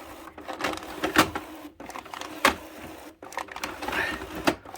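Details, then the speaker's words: HP 6520 printer during a print quality report after the black-ink repair: uneven clattering bursts about every second with sharp snaps between. The paper feed is struggling; the owner suspects paper wrinkled or jostled in the tray during the work. "Alright, what a shit show. I must have wrinkled the paper cartridge. Now we got a problem."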